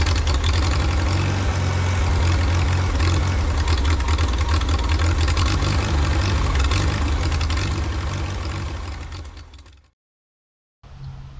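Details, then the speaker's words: 1952 Farmall Super C tractor after fuel system repairs, compression even on all four cylinders: runs low and steady, then sags and cuts out briefly before catching again, stumbling on acceleration; owner suspects ignition timing or spark. "ignition timing is a little trickier to hear with your ear it starts pretty easily it idles okay but it does stumble on acceleration so it could possibly be the timing"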